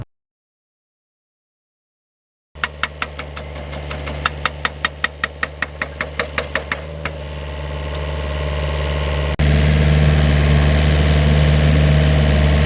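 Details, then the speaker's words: Vineyard post driver: engine held at high revs under steady pneumatic hammer blows about two or three a second, then smooth strong run; loud but normal operation. "Ovviamente la macchina, come potete sentire, è bella bella rumorosa quando va a picchiare molto forte, per cui un po' il rumore del motore, che deve stare abbastanza su di giri, un po' questo rumore molto forte del martello pneumatico"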